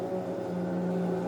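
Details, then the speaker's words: Consul CWC12A washing machine, loud noise during spin: steady, deafening droning hum at fixed pitch while the drum sits still; technician believes the drain pump is defective rather than the mechanics, even though it still pumps water out. "Pelo meu conhecimento técnico, eu creio e acredito que aqui não é problema na mecânica. Aqui é problema na eletrobomba, que está com defeito."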